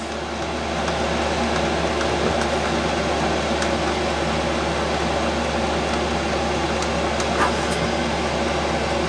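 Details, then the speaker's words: 5KW Chinese diesel air parking heater running at highest 5.5 Hz pump speed, 11.7 V battery (12V lead-acid), 8'x14' shed, 25F outside, error code zero: steady even fan roar with constant low hum, no surges or rattles; normal running. "and that is the era called zero which indicates that everything is working perfectly"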